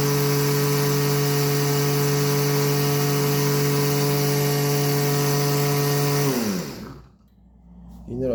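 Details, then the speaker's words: Mitsubishi L200 alternator with oil pump, bench-tested after cleaning debris, refitting diode bridge and regulator and replacing seals: smooth, steady hum, no grinding or rattle, winds down cleanly; charging 15.2–15.4 V, working well. "айтқандай 15-те 2, 15-те 4 зарядка беріп тұр. Өте жақсы жұмыс жасап тұр."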